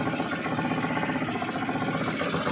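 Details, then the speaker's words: Euro 150 motorcycle engine at idle after replacing the clutch lining and worn timing gear: steady, even beat with no knocking, rattling or ticking; the earlier loud noise is gone. "okay guys Yan na po yan tapos na po tayo Yan po yung maingay kanina Yan po napakagandang andar na"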